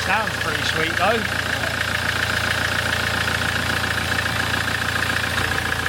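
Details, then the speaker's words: 2008 Land Rover Defender 2.4 Puma diesel after injector service, oil, air and fuel filter change, previously chuffing through oil filler cap: steady even idle clatter, smooth rhythm, no misses or knocks; sounds healthy, oil cap now dry. "be quick on me accelerate if it does go hey hey hey that sounds lovely as"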